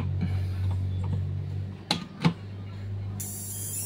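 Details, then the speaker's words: Polytron 24-inch LED TV that otherwise powers on normally: low hum with irregular creaks, two sharp cracks and a thin hiss from the power supply board's switching transformer. "cuman suaranya seperti itu teman-teman ada suara berderik eh kita akan lihat ya sumber suaranya itu Ini ada di trapo switchin"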